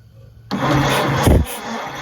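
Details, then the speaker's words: 1928 Ford Model A, 201 cid flathead inline-four, parked 17-18 years: starter cranks the engine steadily but it never fires once; no spark at the coil, ignition wiring being checked. "we may not be getting spark it didn't seem to want to hit at all"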